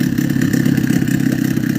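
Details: Two-stroke boat outboard idling after cleaning the fuel pump and flipping its non-sealing reed petals; steady even putter, no misses or sneezing, normal idle.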